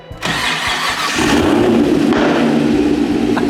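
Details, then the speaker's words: LS3-swapped BMW E36, first drive after the swap: short crank, clean catch and rise to a mellow, even V8 idle with no misses or knocks; healthy start. "cool so cool man so mellow and chis and just like I give it that classy sound right"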